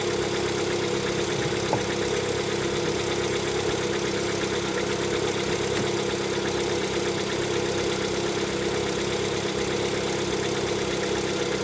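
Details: Lada Vesta, 11,000 km, cold engine: idle with a faint, uneven light knocking over the engine hum; owner attributes it to piston knock on cold start.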